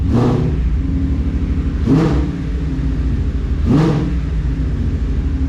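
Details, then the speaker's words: 2016 Mustang GT with headers and full exhaust, after cats were installed: three quick revs give a deep V8 burble with an airy puffing leak under each, from a punctured muffler. Exhaust leak. "We'll start it up, see how it sounds, check for exhaust leaks. Still hear the obvious exhaust leak, which is that punctured muffler."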